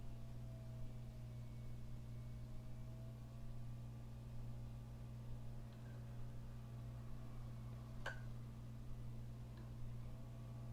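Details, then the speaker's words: 2003 iBook G3, 800 MHz PowerPC 750FX, booting Mac OS 10.2.4/9.2.2: quiet hum with scattered irregular clicks and a sharp snap, mic placed near the hard drive, which is suspected failing and later died. "oh man that hard drive sounds brutal I'll put my mic up there again sounds like it's electrocuting itself yeah I suspect this hard driv is on its way out"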